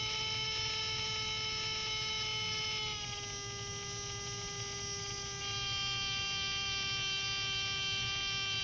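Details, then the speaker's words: Small DC motor on a test circuit fed about 8.9 volts, demonstrating blower motor circuit testing: steady high whine at even pitch, no rubbing or ticking; running smoothly at full speed. "there we go I'm at 8.9 volts so you can hear the speed you can see the voltage uh going to the motor"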